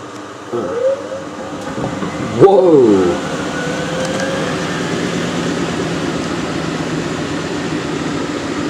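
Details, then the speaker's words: Miele W562 washer, small load of woollens on Minimum Iron 30°C with Short and Water Plus, intermediate spin between the first and second rinses. Motor whine climbs toward spin, then an uneven rumbling thud carries on underneath. The load spins out of balance. "wow that is unbalanced"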